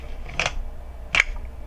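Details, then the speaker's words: Minolta XK with back closed during film rewind: two crisp snaps about three-quarters of a second apart as the film comes off the take-up spool into the cassette, signalling the film is fully rewound; normal. "That sound lets you know that the film has been rewound all the way."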